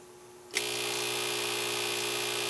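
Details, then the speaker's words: Victron MultiPlus inverter powering a dryer: quiet, then a harsh steady high buzz the moment the load comes on; output sags to 113 V with distorted sine wave, which the owner calls an inverter design flaw. "you can hear right away whatever it is and the voltage so so the voltage and this software is the same but the voltage coming out is 113"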